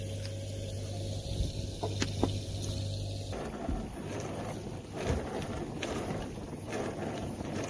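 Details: NANOVA D1 portable mini dishwasher running its cycle after being filled with water. A steady low pump hum with water swishing and sloshing and no knocks or grinding; it is washing normally.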